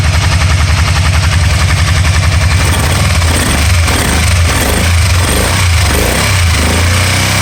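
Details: 2012 Can-Am Spyder RT-L 990: uneven, lumpy idle with a stumble about twice a second that comes and goes, a misfire that later cleared up by itself.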